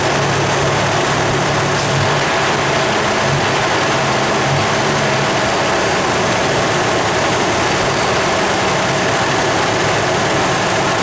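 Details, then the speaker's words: 1996 Toyota 4Runner V6, 235k miles, no codes: steady high idle about 1,200–1,500 rpm; coolant only 150°F and dropping instead of 190, so thermostat needs replacing, TPS also suspected; high idle from stuck-open thermostat. "so my collar right now it needs a thermostat because indeed the vehicle is not warming up to 190 right now it's at 150 but it's dropping"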